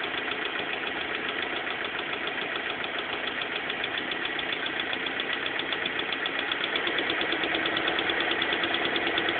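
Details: Steady idle of a BMW M42 four-cylinder with a fast, fairly even light knocking on top; abnormal engine noise at idle, source not identified.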